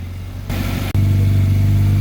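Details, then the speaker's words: Mazda 2 that would not start after sitting about a month, checked fuses and injectors: engine catches, brief dip, then settles into a steady, even low hum with no knocks or misses; check engine light still on (PCM power relay code). "Start busing. Yun oh. Napaandar na. Umandar na yan."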